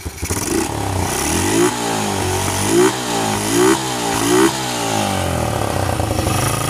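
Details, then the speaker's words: Honda Revo Absolute motorcycle after engine rebuild (previously would not start): four quick throttle blips rise crisply and fall back cleanly to a steady idle, no knock or rattle; normal revving. "Dan inilah hasilnya guys dan sekarang kita coba mainkan gasnya"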